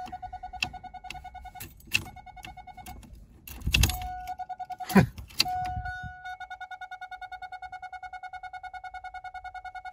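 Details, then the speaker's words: 2000 Chevrolet Camaro 3.8L V6 with hot-start issue, new ignition module, coils, plugs and wires: after clunks, a steady key-buzzer style electronic beeping about five per second as it loses all power; owner suspects battery or fuel, unconfirmed. "really just lost all power well that's really weird now is this a battery issue what the heck happened here battery freaking notification"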